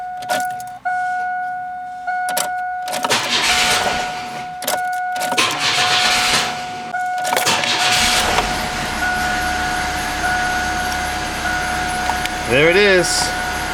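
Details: 1998 Chevy Cavalier/Pontiac Sunfire after a fuel pump replacement, fuel system primed by cycling the key: the starter cranks briefly, then the engine fires and settles into a steady, even idle. Normal start and idle.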